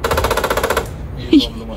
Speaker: इतनी अजीब आवाज क्यों आ रही है राजवीर ये अजीब आवाज आ रही है यार ये दिक्कत है अभी इसमें